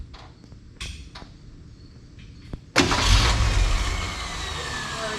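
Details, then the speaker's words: 1968 Ford Falcon just after fitting a budget exhaust with a factory Ford Explorer muffler, cooling system cleaned out. Brief crank, clean catch, steady even muted idle. Runs very quietly, healthy. "And also, now that we have the whole water system and cooling system cleaned out, it is running very quietly and sounds great."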